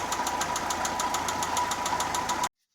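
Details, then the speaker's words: Daewoo Lanos 1.5 petrol running: sharp, regular metallic knock about three to four per second, worse on throttle; not cured by replacing all hydraulic lifters; head removal revealed a damaged piston. "Вот, стучит. Сначала подумал, что компенсаторы. Взял, вот, поменял все компенсаторы. Стук не ушел. Когда газуешь, еще вот хуже. Тарабанит."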